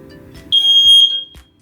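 One loud, piercing high-pitched tone of about three-quarters of a second: a working smoke alarm answering its test button.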